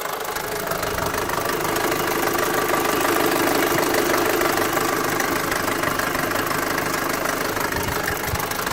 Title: Mk5 golf gti engine knocks